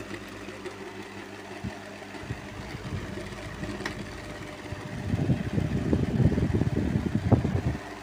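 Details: Oriental table fan: quiet hum breaking into loose, uneven clattering and rattling that grows louder, from a worn shaft; fixed by changing the shaft.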